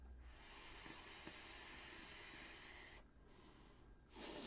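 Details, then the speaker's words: Leto RTA single-coil atomizer during a draw: high, steady whistle through the whole draw, stopping when draw ends; airflow slots whistling, louder with airflow closed down. "c'est un peu ce système des flots qui a tendance à siffler quand vous l'entendez ça fait un peu de bruit"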